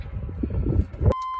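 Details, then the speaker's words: 2000 Chevy K2500 parts truck powered from a damaged battery with makeshift cables: after handling clatter, a steady high dash warning chime sounds, with no hood light. Poor connections and missing grounds are suspected of causing weak power. "Got some dinging. Terrible connections."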